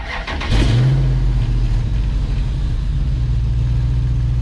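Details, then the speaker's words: 1965 Ford F100 and 2005 Dodge Ram hybrid, start after new fuel line work, no leaks: quick crank, catches cleanly, settles into steady even idle with no misses or knocks; starts as it should, alternator sounds great. "That's how it's supposed to start."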